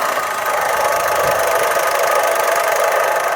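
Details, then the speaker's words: 2008 Corsa, 75,000 miles, at idle: a steady whirring whine with a rough edge; timing chain was first suspected but the water pump was blamed and later confirmed by cutting the belt; a slight timing chain rattle also noted. Water pump bearing noise. "So, I thought that's timing chain, but Pete thinks it's water pump."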